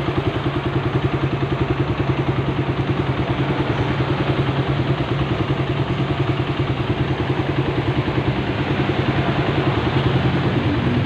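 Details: Suzuki Satria FU 150 single at idle after engine teardown and rebuild; quick even putter with light valve clatter, level and regular, healthy.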